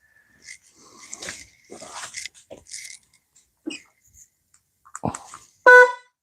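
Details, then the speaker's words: Suzuki Marauder 800 that would not crank, initial diagnosis: short, loud, steady horn blast with a clean even tone; horn and lights work, starter switch found bad. "We got horn. We got lights."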